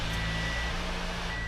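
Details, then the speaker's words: 2013 Toyota Camry started right after an oil change: steady, even low hum with a faint constant high tone, no knocks or misses; smooth, healthy idle. "And just listen to that baby purr. Oh, she's purring like a walrus. Very nice."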